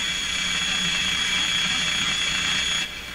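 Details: Telefunken Salzburg 5094W tube console radio during a listening test after voltage checks and push-button cleaning. A steady high whistle over loud hiss while a station is tuned, then it drops away; the owner suspects an alignment problem.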